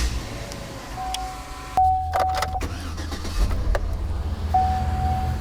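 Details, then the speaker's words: Vehicle with mechanical returnless fuel system, after new fuel pump installed, cold weather; short crank then immediate catch into steady idle, no long crank time; normal quick start after repair. "You guys did hear it when I first started it. It was immediate startup, no long crank time at all."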